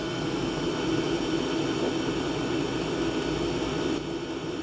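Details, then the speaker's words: Diesel parking heater at full setting, combustion air intake silencer/filter removed: constant hollow roar with a sharper, higher-pitched, clearer rush; unsilenced intake more unpleasant. "The sound isn't necessarily louder, but it's higher pitched. You can hear it better, it's clearer, so the sound transmission is better, and because of that, I find it more unpleasant."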